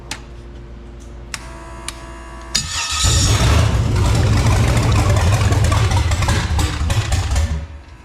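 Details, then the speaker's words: Carbureted V8 on an engine stand, with 58x crank sensor wiring and choke not wired, choke opened a little: after a few clicks it fires into a fairly steady, deep rumble with light unevenness; runs better with the choke open. "we're just going to like open the choke a little bit you know and see what we got going on"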